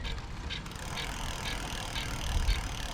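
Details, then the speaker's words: Lectric XP e-bike lifted off the ground, wheel pedaled freely: a light swishing scrape about twice a second as the disc brake rotor rubs on the inside of the caliper; fixed by adjusting caliper screw and tightening a loose screw. "let's see if i could pedal this lights up here oh yeah so you could hear it and that's rubbing on the inside"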